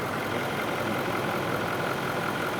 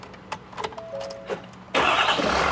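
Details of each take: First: Ford F250 6.7L diesel after DEF fluid was accidentally put in the fuel tank and run, after repair, first start with starting fluid: steady even diesel clatter, no knocks or misses; normal healthy idle. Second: Ford F250 6.7L diesel that ran with DEF accidentally put in its tank: short cranking bursts, then it catches on starting fluid sprayed into the intake and settles into a loud steady run. Hard starting from the DEF-contaminated fuel system.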